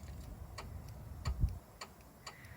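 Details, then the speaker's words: 2004–2007 Chevy Malibu with a jumper wire across pins 30 and 87 of A/C clutch relay 34 in the fuse box: crisp, evenly spaced clicks about every half second over a low hum. The A/C compressor clutch engages normally. "That's the sound of the AC clutch engaging, so the clutch is good there."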